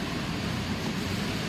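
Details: Renault Sandero Stepway 1.6, about 120,000 km, automatic, after loose engine mount (coxim) fixed: engine revving under acceleration with steady even drone, no metal-on-metal clatter or knocking that previously vibrated through the body.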